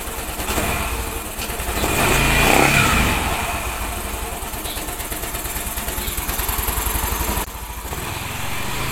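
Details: Yamaha NMAX after repair of hard starting, rough noise and radiator coolant spurting (gasket refitted without glue, no reused packing): steady, even single-cylinder idle with a slight throttle blip, smooth. It starts easily, a 6 km road test was fine, and there is no more spurting.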